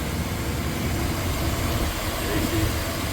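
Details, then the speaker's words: 1997 Chevrolet K1500 Silverado Z71, 5.7L Vortec V8, rebuilt engine, P0137 code, after an ECU reset and 20 minutes idling: even, steady low rumble with no bouncing, where the idle previously hunted between 800 and 900. AC is on. "idle is like 100 better it was like bouncing around between eight nine all the time now it's just kind of steady rated a 5900 it was pretty much 900 950 when I started it AC is blowing fine engine is running very smooth"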